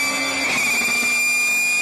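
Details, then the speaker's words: Vehicle whose gears are all straight-cut, pulling under power: a loud, high, steady whistle over the engine. Normal straight-cut gear whine, like the whine of inline-three motorcycle engines with straight-cut counterbalance gears. "the sound you're hearing is the whine of straight gears meshing while all the other gears in a typical car first second third all the way 256 are helical II connected them pretty much silent this is what a car sounds like with nothing but straight gears"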